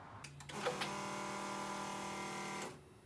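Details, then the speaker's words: Superlite SLC with a counterfeit Bosch 044 fuel pump, which caused the engine to stall: a loud, steady high electric whine at even pitch for about two seconds; the replacement Fi Tech pump is noticeably quieter. "but the noise difference between the knockoff Bosco 44 pump versus the Phi tech pump is pretty surprising here's a clip of the Bosco 44"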